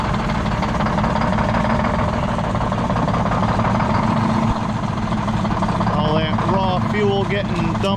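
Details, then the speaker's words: Detroit Diesel 6-71 on its last run before being pulled from the truck: a heavy, shaking idle with a rhythmic skip as one beat drops each cycle. The finding is misfire from a dead cylinder. "you can hear the skip in it how bad this thing shakes it's a shame but"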